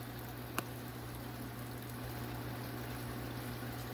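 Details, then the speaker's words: New SunSun HW304B canister filter on a 125-gallon tank, recorded from right beside it: only a low, steady hum under room noise and trickling water. It is barely audible and running normally. "but you don't hear that filter i'm sitting right next to it and i can barely barely tell that it's running"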